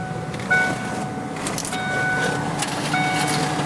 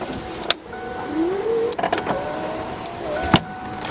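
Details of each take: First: 1993 Ford Thunderbird SC Super Coupe, under 50,000 original miles: power antenna motor gives a steady thin electric whine with high tones that runs on without stopping; motor turns but the antenna mast is broken. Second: 1993 Ford Thunderbird SC Super Coupe, under 50,000 original miles: power window motor hums smoothly, pitch rising as glass travels, ending in a soft thunk; works normally, though one window gets slow going down.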